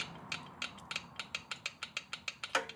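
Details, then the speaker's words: 1972 Triumph TR6 650 twin, engine off at top dead centre: crisp, even light clicks as rocker is rocked by hand; valve clearance correct at 2 and 4, so valve clearance is not why left cylinder runs hot. "That sounds like a really good 2 and 4."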